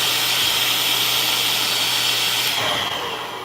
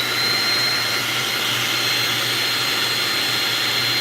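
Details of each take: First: Okay, that change in motor sound you're hearing is a clog. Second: Shark vacuum after repair: strong, steady high motor whine with full airflow rush, then a smooth falling pitch as it spins down; suction sounds unrestricted and healthy.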